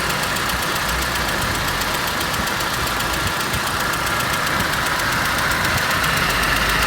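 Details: ZMZ 406 engine: light, fairly regular tapping over a busy idle, about four a second, after timing kit and hydraulic lifters replaced; knock appears then fades; source not pinned down.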